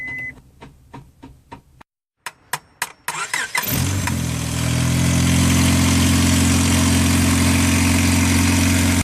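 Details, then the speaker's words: 2000 Honda Accord with low battery, booster pack connected, someone tapping the starter: separate clicks and short cranking bursts, then engine catches into steady idle; starts only when tapped, so failing starter motor is replaced. "We're able to start the vehicle while tapping on the starter, so we're just going to go ahead and replace the starter."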